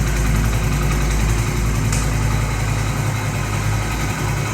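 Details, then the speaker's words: Honda Pridor 2025 single at idle after only about 25 km: rough uneven low chatter over the beat; owner suspects clutch plate as source of the strange engine noise, unconfirmed. "कल plate अजीब अजीब सी आवाज आ रही है इसमें"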